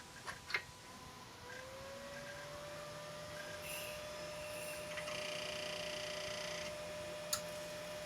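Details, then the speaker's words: 1997 Compaq Deskpro 2000 (AMD K6), first start in 16 years, after swapping in a known-good 256MB RAM stick: fan spins to a steady hum, faint clicks, no error beeps; powers up. "oh well that's more promising and sure enough there we are compact desk pro 2000"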